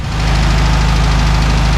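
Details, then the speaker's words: VW Beetle flat-four after correcting the mixed-up plug wire firing order: steady, even low burble at idle with no misses or stumbles; normal idle, engine running again. "Beetlejuice is alive again [Music] well folks sounds like a VW"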